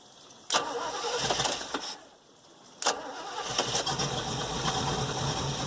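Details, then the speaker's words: 1973 Fiberform boat engine, restored and sitting four years, lake-water cooled via garden hose: brief crank dies, second try catches into an even, steady idle, warm water spitting out with good suction; normal cold start and idle. "warm water spitting out there got nice suction under there it running beautifully so I can't complain"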